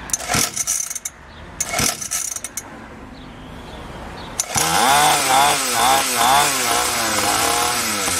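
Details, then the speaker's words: SYX Moto small two-stroke dirt bike, carburetor leaking fuel, possibly flooded after choke; sputtering bursts die out, then revs surge about twice a second and won't settle. Won't hold idle; idle screw suspected to need turning up, possibly bad fuel mix. "oh yeah i think i gotta turn the idol up yeah i would think so hotel yeah it's not staying on exactly"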